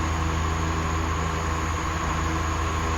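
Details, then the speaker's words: 2003 shop fan that locked up and hummed without spinning, repaired by cleaning with a flammable liquid: steady even motor hum at high speed with smooth airflow rush, no scraping or grinding; fan spins freely. "we'll even go to the high speed hear the motor Ram up a little bit"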